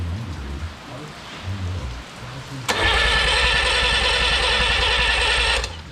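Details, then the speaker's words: Original Renault 4CV engine (circa 1949-52, welded cracked block) reassembled after ~70 years in parts, first start attempt: about three seconds of steady starter whir with no catch or firing; engine spins but won't start. "i mean it sounds like there's compression as well yeah maybe that plug is necessary"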